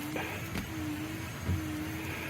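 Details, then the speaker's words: Windshield washer pump, car parked indoors at 75 degrees to thaw fluid that froze at 17 degrees outside: a thin, steady electric motor hum with a bump midway as the pump runs again and fluid starts coming out, normal pump operation. "let's go around the pump and see if we get anything liquid coming out all right come on baby oh i hear the motor running oh we got something sweet"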